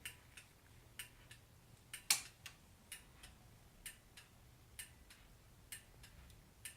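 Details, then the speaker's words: Turn signal with LED bulbs after a heavy-duty 2-wire flasher replaced the hyper-flashing unit: crisp relay clicks in even pairs, about one flash a second; normal flasher rate. "can you hear that clicking but that's the turn signal relay and it's working really nice"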